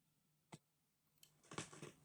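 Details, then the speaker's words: Sanyo RD30 cassette deck, left output channel: sharp irregular pops and crackles over a faint steady hum, sometimes worse, enough to move the meter; intermittent crackle, cause not yet found. "I don't know whether you heard that uh crackling and popping it's it's worse sometimes than nle will actually move"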